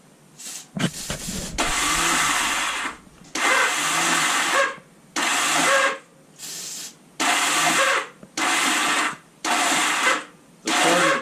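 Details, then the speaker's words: 1978 Honda Goldwing after years sitting, spark plugs in, choke out, starting fluid: about eight short starter bursts whir without turning the engine over. The battery is too weak and the starter clutch isn't engaging. "well there's not enough juice in the battery to turn the engine over with the spark plugs in place"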